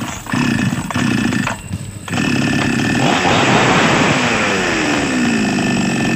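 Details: Small Chinese chainsaw two-stroke that had been hard to start, needing priming, now fixed after a trivial fault was found: after a couple of pulls it catches, revs up and holds a steady, clean buzzing run without dying.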